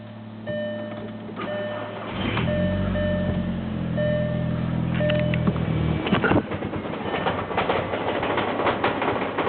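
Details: Cold morning start on a VW 1.8T AWP: engine catches, idles very rough and uneven for a few seconds, then stumbles and stalls, repeatedly; codes 17535/16556 system too rich; fixed by replacing the faulty MAF sensor.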